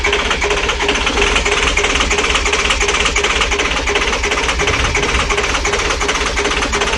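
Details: International diesel in winter, cold, with the wait-to-start indicator on: the starter chugs fast and steady at about three beats a second on and on, and the engine never catches. Long cranking, hard cold start; cause not confirmed.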